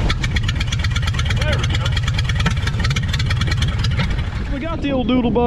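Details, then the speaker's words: 1930 Ford Model AA Doodle Bug truck, four-cylinder, abandoned in the woods 72 years, started with good spark and compression: low, steady, even chuff with no knocks or misses; runs smoothly like the day it was parked. "up and running after she'd been abandoned in the woods for 72 years she runs like the day she was parked she sounds real good"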